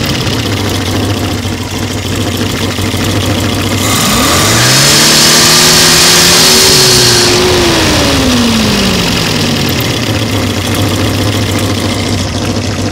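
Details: 1970 Opel GT, engine installed in 2000 with 2,700 miles, recently fitted 7-blade fan, aluminium radiator, rebuilt 28 A alternator and new water pump: loud roar at 2,500–3,000 rpm, screech from 3,500 rpm, whirring louder on deceleration; cause unknown.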